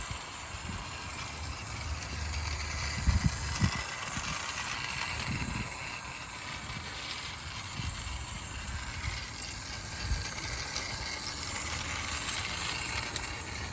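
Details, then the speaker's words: PS Models Hudson locomotive build, test run on old rusty track: light irregular rattle of wheels over joints and faint steady motor whir; runs fine and in the correct direction. "but anyway um the little train ran rounded okay uh doubly confirming that it is running in the correct uh direction as well which is what I wanted to see"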